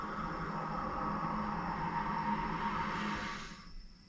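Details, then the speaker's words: Two-pipe fan coil unit with a no-heat complaint: a steady watery hiss through the pipework while the valve is adjusted toward closed, then fading to near silence; the valve is not sealing and keeps passing water. "still free so it would allow water if it was on there and I can hear the water running"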